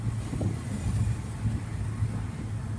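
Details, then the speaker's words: 1989 Toyota Cressida revived after sitting for years, driving at about 60 mph and 2,300 rpm: low even engine drone under heavy wind and road rush, no knocks or misses; runs smooth and good; normal running. "Wow. This thing is nice, guys. Man, does it run good."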